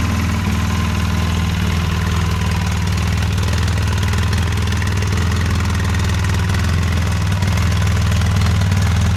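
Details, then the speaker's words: 2008 Polaris Sportsman X2 700 twin ATV, just reassembled, stock exhaust: steady, even low idle with a smooth regular pulse, no knocks or rattles; very quiet and healthy. "Start her up. Let's just see what she sounds like. Very quiet, stock exhaust."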